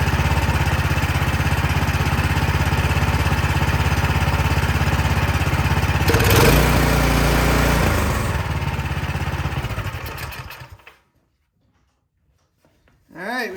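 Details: Cub Cadet snow blower single-cylinder engine after cleaning a dirty carburetor, primed, in run position and not choked: steady, even drone with a constant beat, then a clean shutdown; running properly.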